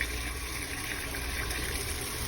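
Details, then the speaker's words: Fleck 2850 water softener after repair, fourth regeneration cycle: steady rushing and trickling of water refilling the brine tank with no hiss, chatter or knock; normal refill flow. "now here's the crucial fourth one putting water back into that tank there we go"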